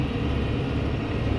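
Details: Kubota M7060 tractor, about two years old, with RCF3010 brush hog cutting brush in a cow pasture; deep steady rumble with churning as the cutter chews brush, engine holding speed under load; normal cutting. Tractor then enters regen.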